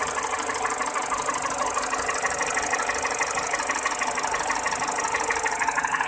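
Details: 207 petrol engine at steady idle: sharp, even clacking tick about three per second, a knock from inside the engine; cause not stated.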